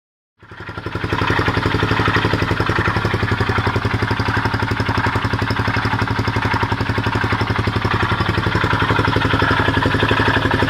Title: honda xl250s pulsating grinding noise